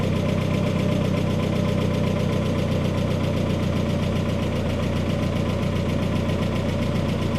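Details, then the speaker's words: Freshly rebuilt turbo engine at first start-up, new paint and turbo oil burning off: dense, even idle with a steady low rumble and no rattle, settling in; normal idle. "All right, gentlemen, here we go. Didn't sound like there's any rattle."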